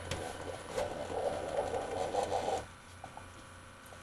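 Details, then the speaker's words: Failed Keurig coffee maker, brew selected with door closed: faint buzzing pump hum for about two and a half seconds then cutting out, still not pouring water; pump too weak to push water. "if you can hear that that's this pump going that's this making noise still not pouring any water"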